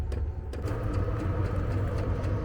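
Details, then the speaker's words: Vevor diesel air heater in a Fiat Ducato camper van, starting up after pressing on at the controller: low fan whirr building under soft evenly spaced fuel pump ticks after 2–3 minutes, exhaust smoke emerging; normal startup. "Ça y est, on entend au bout de 2 minutes, 2 3 minutes, on entend la pompe de la fumée s'échappe du pour d'échappement."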